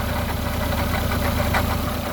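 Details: 1974 Honda Civic Mk1 petrol engine, old spark plugs, idling: low thrum pulsing and stumbling unevenly instead of running smooth; rough idle with misfire, spark plugs suspected, not confirmed.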